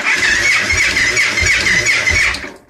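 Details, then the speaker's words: 2002 Victory V92 V-twin that sat outdoors about eight years, in neutral; sluggish uneven cranking with strained whirr sagging between turns before dying; oil light goes off right away, weak battery suspected. "oil light went off right away sounds like a pretty weak battery"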